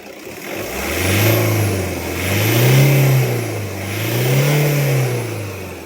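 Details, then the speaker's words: Toyota Hilux after alternator repair (worn bearing): three clean rev-ups and drops, tone rising and falling smoothly with no whine or growl from the belt end; noise gone. "So, ayun, wala na yung ingay. Rev! So, wala na yung ingay niya mga bossing."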